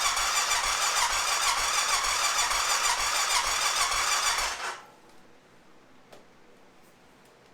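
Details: 2005 Honda TRX650 Rincon, 650cc single-cylinder four-stroke, tank full of fresh fuel, tried on full choke: about three cranks a second for nearly five seconds with no firing. No-start; fuel delivery issue at the carburetor suspected.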